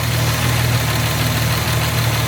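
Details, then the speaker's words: Jaguar MKII carbureted engine at idle, heard from the engine rather than the exhaust: steady low idle with faint light ticking; owner says carburetors need refinement and valve shims need adjusting, suggesting tappet clearance noise. "Now, to me, it's not perfect. It's fucking good, but it's not perfect. Needs a little bit of refinement on the carburetors themselves, and I hate to say it, the shims."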